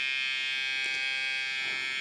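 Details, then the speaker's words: Hair trimmer, a steady even high-pitched buzz with no rattle or pitch change; it stays quiet and runs normally. "El ruido permanece silencioso, el trimmer."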